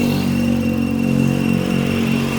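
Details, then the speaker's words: 2008 Nissan Grand Livina XV 1.5 automatic, checked in the engine bay, which shows no accident or flood damage. The engine runs with a smooth, even hum, a steady low drone and a faint high tone, with no ticks, knocks or odd noises; it is healthy. "dan suara mesinnya juga halus. Tidak ada yang suara aneh-aneh."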